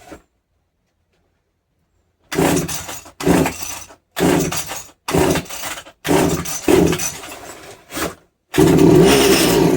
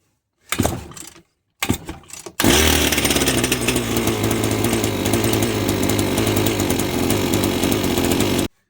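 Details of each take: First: Strimmer unused for years, first start after tightening fuel-line connections; fires in short ragged bursts without a steady idle; split primer bulb feeding the carburetor found, possible fuel leak, idle may need adjusting. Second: Two-stroke strimmer unused for years, after a new carburetor and gasket, valve and air-leak fixes. Two pull-start bursts, then a steady, even buzz with no sputter; normal running. The cause had been air leaking into the engine.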